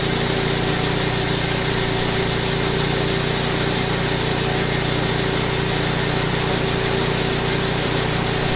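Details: Late-1990s Wood-Mizer LT15 sawmill engine, long-stored, after maintenance, still running despite its age: steady even drone with constant buzzy tone, no knocks or misses, holding speed: normal running.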